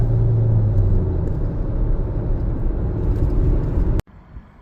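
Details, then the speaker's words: 2017 Jeep Patriot, 142k miles, full-throttle freeway on-ramp pull from second gear after a 6F24 six-speed automatic service with Amsoil Signature Series fluid; engine pulls hard and steady, no slipping flare, second and third shifts crisp. "Second gear. Let's just floor it. Oh yeah, that's crispy. Second and a third feels great."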